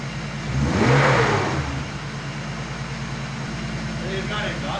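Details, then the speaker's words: Turbo BMW E36 drift car, restarted after an engine-bay fire that may have melted the coils, with the ECU repaired and heat protection added; catches cleanly, revs once, settles to a steady idle with no stumble; normal start and rev. "it's been a couple days but uh the E36 now starts GNA go on a test drive"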